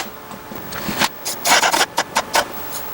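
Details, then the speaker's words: PlayStation 2 fat SCPH-3001 with disc read errors, after cleaning the laser lens: irregular scratchy chugging and grinding as the drive hunts and fails to read; owner suspects the laser-height gear needs adjusting. "kind of chugging with this i don't know it's going to work so we had issues reading audio and we had issues with ps1 disc so it's kind of grinding"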